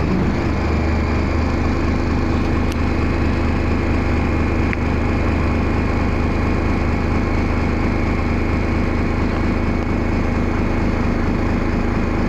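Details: First Manchester Dennis Arrow bus 31947 (R447ULE), diesel idling and recorded on a phone: deep, uneven, loping beat instead of a smooth run, a bad idle with lots of thrash.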